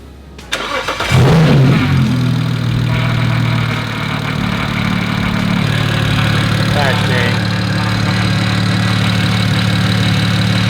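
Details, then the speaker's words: BMW 335i N54 with F54 Super-TD04 big twin turbos, first start after priming turbos: cranks, catches quickly and settles into a smooth, steady idle with no knocks or misses; normal idle. "sounds good sounds good sounds healthy"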